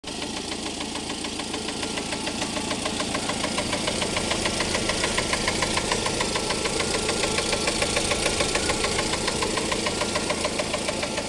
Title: 2.5l Jeep engine knocking sound?